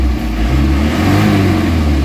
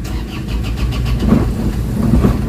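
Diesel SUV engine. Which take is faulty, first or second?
second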